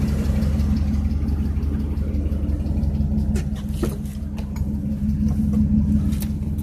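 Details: 2006 Chevrolet TrailBlazer SS V8 at idle: steady idle with a faint, loosely regular light knock about three per second over the exhaust note; owner suspects piston slap, not confirmed.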